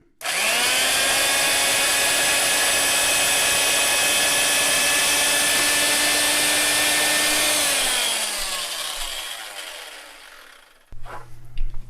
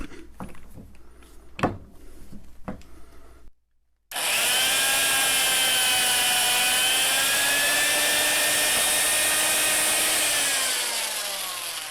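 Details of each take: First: Vintage Fein ASG 658 tapper tapping a hole in tapping gear with self-correcting ball joint; steady high motor whine holding pitch under load, then smooth wind-down as the tap finishes: normal tapping, clean thread. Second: Vintage Fein ASG 658 tapper motor labouring while tapping a hole with oil: high steady whine sags and drops in pitch as the tap bites; owner suspects the old, dull tap, with the holes slightly oversized for the tap size.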